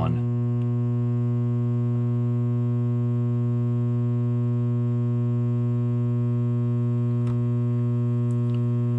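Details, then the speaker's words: Coleman DGAA056BDTA furnace trying to start: steady low electrical hum as it attempts, then fails with a three-flash code, combustion air switch failed to close. "do you hear it making that noise that humming noise well that indicates it's trying"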